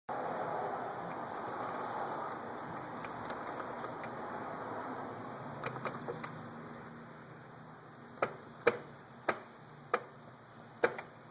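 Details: 2006 Yamaha R1 drive chain: sharp, uneven ticks about one every two seconds over a faint hiss, chain ticking.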